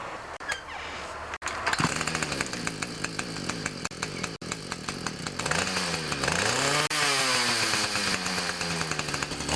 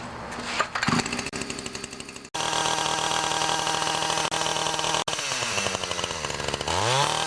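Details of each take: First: Ryobi 31cc two-stroke mini cultivator before carb adjustment: it revs high and thin, then bogs and surges each time it is throttled up and tends to die. Lean running suspected. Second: Ryobi 31cc two-stroke mini cultivator after turning the L screw out 1/8 to 1/4 turn and fitting a new Champion RDJ7Y plug; high buzzy note fires evenly and picks up cleanly on throttle; normal running.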